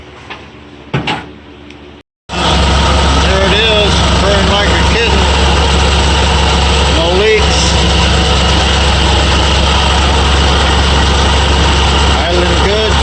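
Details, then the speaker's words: Ford F100 with 2-barrel carb after days fighting surging, restarted after fixing fuel line: quick start, steady even idle, a touch fast by choice, no surging or smoke; normal idle. "no nice surgeons not smoking at all i think after a couple days of fighting with this that's the way it should be idle's still kind of high but i left that a little high"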